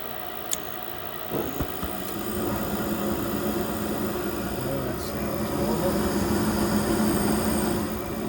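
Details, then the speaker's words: New Trane gas furnace on a service call, refired after correcting an installer mistake: ignition tick, then a steady even burner roar with low hum builds and holds as all 3 burners light; normal burner operation. "And it should fire up across all 3 burners now."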